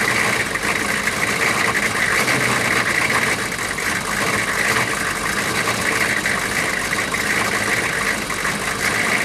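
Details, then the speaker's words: 6.5 turbo diesel truck started for the first time after sitting roughly four to six years, low on coolant, with a coolant leak found. It is now at an even, steady idle with constant clatter and no misses or knocks, running smooth: a normal diesel idle. "but it is running and running smooth now that's a good thing"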